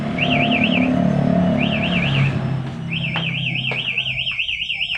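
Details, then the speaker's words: Honda CBR fitted with a plug-and-play smart key anti-theft alarm: a high warbling siren sweeps up and down in repeated bursts with brief pauses after the ignition is forced for about 5–10 seconds; alarm triggered by tampering. "akan tetap berbunyi seperti itu"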